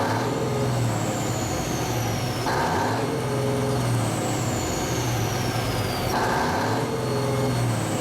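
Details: 1974 Kenworth W900A with NTA420 Cummins diesel, revved after starting first try following three years parked. The deep rumble holds steady while a turbo whistle rises and falls with throttle, pulling cleanly: healthy diesel revving.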